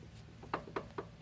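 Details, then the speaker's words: 2000 Cadillac STS Seville jacked up with the wheel off: four sharp clunks as the wheel is rocked by hand; worn outer tie rod end needing replacement. "see that that ain't right ain't no other way around it uh it needs to be replaced"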